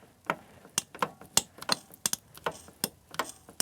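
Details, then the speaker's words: 1970 Honda SS125 engine, long-stored project opened up in a workshop at about one degree, oil pump turned by hand: crisp mechanical clicks about three a second, pumping noises, no grinding; oil pump sounds healthy and works properly. "That sounds healthy."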